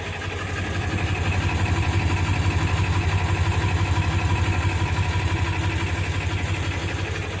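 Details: 1999 Ford F350 7.3 L turbo diesel, 217,000 miles, cold start on a summer day: deep idle with a steady throb near three beats a second that never smooths out; smoky oil burner, improves when warm; cause unconfirmed.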